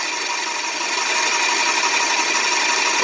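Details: Graco 390PC airless paint sprayer after rebuild, pump running dry drawing air: fast, fairly even spitting strokes about four per second; normal behaviour while priming.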